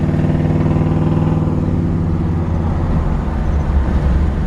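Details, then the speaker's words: 1973 Chevrolet Camaro, lowered 2 inches, running 350 V8 with a brand-new starter and automatic transmission, on a test drive: deep, steady V8 rumble pulls evenly with no knocks or slipping; transmission shifts out perfectly, power steering steers great; normal running and shifting. "Transmission shifts out perfectly. It's got power steering. Steers great."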